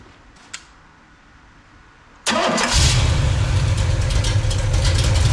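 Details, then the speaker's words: Pontiac 421 bored .030 over with 1969 big-valve heads, carb jetted lean for a stock 389 with choke partly closed, at 170°F, 40 psi oil pressure, just under 800 rpm: the starter catches into a deep, lopey, steady V8 idle. Healthy start. "as you can tell folks this one has a [Music] Canon got to love that sound people"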